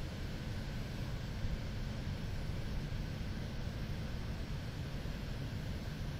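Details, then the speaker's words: Zotac GTX 980 Ti AMP! Extreme graphics card at full load playing Witcher 3, fans on automatic, other computer noise in the background: steady even fan rush with no coil whine or buzz; normal operation. "finally this is running at full load with fans on automatic while playing Witcher"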